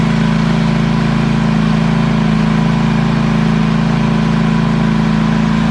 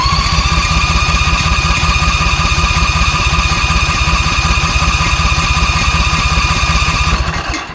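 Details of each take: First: ZT200 mower with newly installed replacement engine (same hp and rpm, shaft adapted with a sleeve) gives a steady, even drone at constant speed with a low, regular pulse and no misses or knocks; normal healthy running. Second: ZT200 mower with a newly fitted replacement engine: the small engine runs steadily, then falters and dies abruptly from fuel starvation; the owner first suspected the fuel pump, but the tank selector had been bumped and was choking off fuel.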